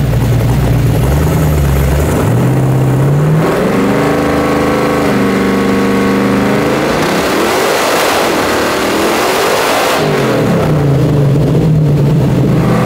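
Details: 1970.5 Camaro Z/28 drag car, LS6 V8 on FT550 EFI, TPS-based tune, on hub dyno; revs up and down with lumpy, uneven note and flat, blubbery pull; timing about 20° retarded, fixed by adding 20°; retarded ignition timing.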